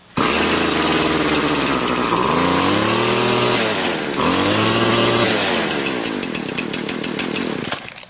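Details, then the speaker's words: Stihl BG56/BG86 blower cold start with choke on and primer bulb pressed: it catches straight away, revs rise and fall twice on the throttle trigger, then settles to a steady run. Normal cold start. "All I did was hit the primer bulb, put it in the choke position, and crank it till it starts up. And once it starts up, all you do is hit the throttle trigger."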